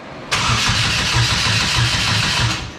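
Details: Exomotive Exocet with swapped GM Ecotec engine, first start attempt: starter spins the engine at a steady pulsing beat about two seconds, never fires; suspected fuel pump wire fault; crank no start.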